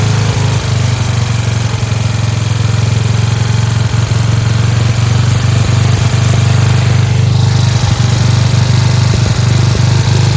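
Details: Free Dayton lawn tractor with 11 hp Briggs engine, running on its own after choking: steady, even low thrum with no stumbles or knocks, idling a touch high with a spring disconnected; running cleanly.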